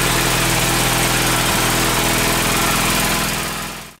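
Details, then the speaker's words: Gravely tractor single-cylinder engine running with starter solenoid bypassed (solenoid contacts too worn): steady, even chug at fast idle, no knocks or misses; runs fine. "but I want to give you all a little uh a little clip of it running here"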